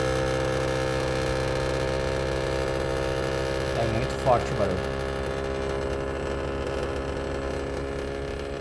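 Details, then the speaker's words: Samsung WindFree 12000 BTU split inverter outdoor unit: loud steady droning hum with buzzing, casing vibrating heavily; pressing the casing reduces it but it stays loud, unlike the other units. "quando ele tá vibrando muito se tu aperta um pouco a lataria assim Bota a mão ele diminui a vibração mas e mesmo assim fica vibrando ainda barulho alto né"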